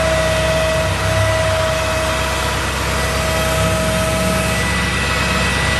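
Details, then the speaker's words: 2004 Chevy C5500 rollback, 6.6 L Duramax, PTO on, cold day: steady automatic high idle with a constant pump hum and faint whine, no groaning or chatter; the hydraulics work, though a little slower than normal in the cold. "Go ahead and turn the PTO on. You hear the high idle kick up automatically, so you don't need to do that."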